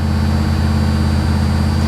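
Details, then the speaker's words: 1982 Chevy Camaro Crossfire V8, possibly 5.7, 134,000 miles, just started on a not-cold day: smooth steady drone idling high at about 1800–2100 rpm, later dropping to about 1800. "she runs like not an issue man she fires right up idling a little high but hopefully it'll drop down here in a second she's running about 1800 rpm now 2 000."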